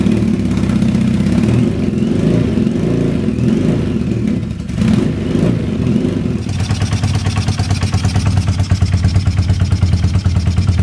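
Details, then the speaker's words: Early-1970s Yamaha TX750 twin motorcycle with pipes thought to be off a Harley Sportster, kick-started on choke in -40C winter with battery fitted: deep, throaty twin revs up then settles into an even, loping beat about two pulses a second; normal healthy cold start. "Put the gas on. I'll give her a kick, choke. Oh, she's got a bit of compression."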